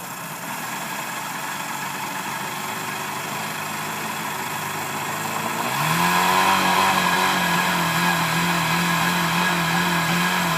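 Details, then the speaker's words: 1990 Mercury 100hp 2+2 outboard, out of gear, revved from a rough idle to about 2,300 RPM; speed keeps hunting up and down instead of holding steady; owner unsure if fuel or timing issue. "Hopping around. Probably hear the engine hopping around."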